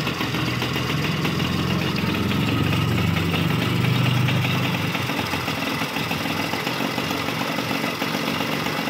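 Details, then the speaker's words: Yamaha Chappy small single-cylinder rewired to an RS100 CDI to fix hard starting: settles into a steady idle with a low, even putter and no misses or knocks, sounds healthy. "So, check natin kung umandar ba. Ayun, umandar na."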